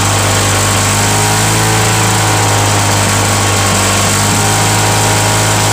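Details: Mulching mower on cold start, non-original primer, broken kill switch held with vise grips, small gas leak: steady loud, harsh raspy drone; loud exhaust noise because of the exhaust fitted to it.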